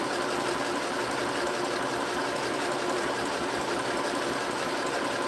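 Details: Sewing machine (same model sold at Walmart and Temu) running without the foot pedal as soon as switched on; fast even whirring stitch rhythm with light mechanical chatter, no catching or grinding; sews smoothly.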